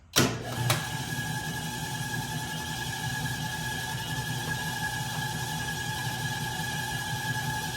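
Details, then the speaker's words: 1967 Logan model 1875 lathe on a Phase-a-matic static single-to-three-phase converter at 240 V, after new wiring. Motor runs forward/reverse in the switch test with a smooth steady hum and even whine, no rattle or growl. Everything stays cold. Normal motor running. "Well, all right guys, I'm gonna call this wiring job a success. Everything seems to be working. I've got no indication otherwise."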